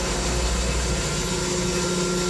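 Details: Electric fire pump on a 480 volt controller, running on a 10-minute run timer after starting at 150 psi: smooth, even motor hum with steady tone, no knocks or surges; running normally.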